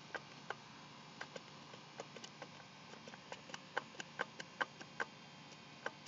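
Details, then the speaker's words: Honda Civic S20 transmission turned over by hand in a quiet room, sharp irregular ticks two or three a second; owner asks whether it is a bad shaft bearing or normal. "okay here we go my uh G20 s20 trainy turns okay but with that noise I'm"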